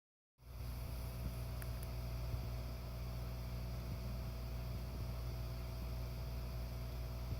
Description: This is the very faint humming noise that the NeverFlat secondary air pump makes when it is operating.